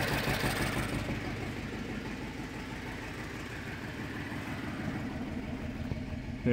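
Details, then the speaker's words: 2010 BMW 750 N63 running rough after a used engine swap: uneven, lumpy, stumbling idle. Scan and scope cam/crank correlation show the bank 2 exhaust camshaft is out of time. "the error code and right away you get exhaust camshaft two basically out of time"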